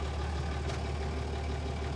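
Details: Toyota HJ45 diesel farm ute, sat 7 years, started after glowing, in two-wheel drive with extractors now bolted on: steady low diesel rumble, even beat, no knocks, rattles or misses; normal idle.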